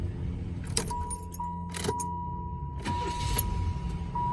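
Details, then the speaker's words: Second-generation Chevrolet Lumina with 82k miles, cranked in clear-flood mode with the pedal held to the floor so it won't catch: steady low churning starter whir that keeps turning, door chime behind; normal starter cranking. "So that's clear flood mode, in case you've ever wanted just to hear a GM turn over. Hold it to the floor, turn the key on, and then crank it."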